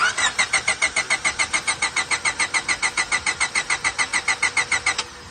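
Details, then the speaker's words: Crank-no-start on a 2000 Honda Civic EX coupe, D16Y8 VTEC, 5-speed, after installing 410cc Denso injectors, 3-bar MAP sensor and chipped OBD1 ECU via adapter; starter cranks evenly for five seconds without catching, injectors not firing because injector plug connectors weren't making contact. "Bad sign. All right, guys. So the injectors, it wouldn't fire because the plugs in the injectors, they felt a little weird."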